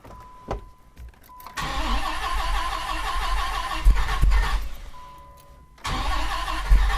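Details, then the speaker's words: 1998 Dodge Viper during a dry sump install, first start after reinstalling parts, on a new battery after the old one failed a load test: cranks, fires and settles into a deep steady rumble with no knocks; runs a little hot, judged normal heat; normal start. "All right, well, it fired up. It's a little hot, I can tell. I think we're okay though. I think it's just normal heat."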